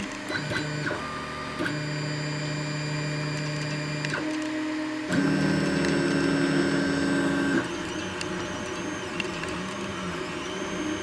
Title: Anycubic i3 mega extruder "clicking" sound